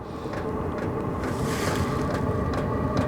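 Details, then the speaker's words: All-in-one diesel camping heater just after ignition: steady burner roar with a light regular fuel-pump tick about twice a second, pump speeding up, no heat yet; normal warm-up running. "and the pump actually increased a little bit in speed there's getting a little faster now"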